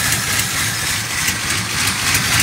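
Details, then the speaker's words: Long-abandoned Ford F100 V8, possibly a 1968, revived and idling: even, steady idle with no knocks or misses under a lot of hiss; the engine sounds healthy. "bueno está regulando se escucha nada daño sin pecar en motores serenito"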